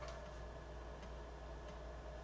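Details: BBC Micro floppy drive after head cleaning, verifying the other head of the same drive; even, steady ticking over a low motor hum, no scraping or stalls. Drive healthy; earlier trouble likely just dirty heads.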